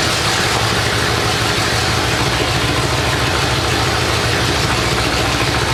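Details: 427 big-block Chevy on an engine run stand at first fire after a long time unrun, distributor timing adjusted: loud, steady, even V8 beat through open pipes, no misses, knocks or ticks; normal idle and revving.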